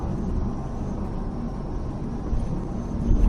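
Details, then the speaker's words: 1985 Chevrolet Silverado K20 4x4 with carburetor, 33-inch tires, freeway cruise under 60 mph: steady low engine drone under road rumble, no miss, knock or surge; engine runs smoothly. "but other than that this thing feels real good on the freeway running as smooth as the sewing machine I can hear the motor just working"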